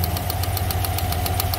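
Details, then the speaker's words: GM 5.3 V8 truck at steady idle: light, fast, even tap over the rumble with a slight misfire and check engine light. Cause is a spark plug wire that fell out of its coil, not lifters or exhaust. "coil wire is hanging out that's how it's supposed to be sitting that's how it's sitting see the other two it fell out of the coil but why did it fall out of the coil"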